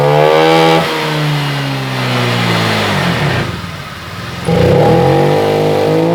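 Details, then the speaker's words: Honda Vario 125 LED scooter after fitting a new fuel filter: revs sag and stumble mid-throttle before picking up, with response still poor; fuel pump pressure very weak; throttle hesitation from weak fuel pump. "ternyata permasalahannya Tetap sama seperti yang tadi masih merebet Hai responsifnya kurang"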